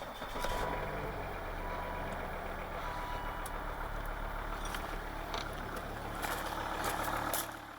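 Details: Volvo V50 D5 diesel, started after changing the faulty alternator freewheeling (sprag clutch) pulley: a steady, smooth idle with no squeal, chirp or rattle from the belt and pulley side. It sounds healthy.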